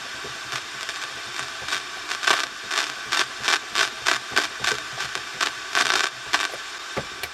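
Irregular bursts of harsh crackle and static, no station audible between them; the radio crackles but isn't receiving.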